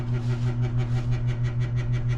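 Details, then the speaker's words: Overhead light at a high school entrance at night: loud low hum throbbing about five times a second, a steady pulsing electric drone; suspected failing ballast in one of two overhead lights. "Yeah, there's two lights up there. The sound does seem to be emanating from that thing."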